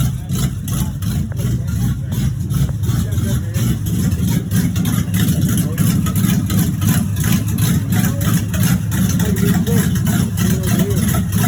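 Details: 1986 Chevrolet Monte Carlo SS V8 at idle, running about 3–4 minutes, with an uneven deep knock on each turn, roughly three a second. Driven about three days with a bottom-end knock. Rod knock.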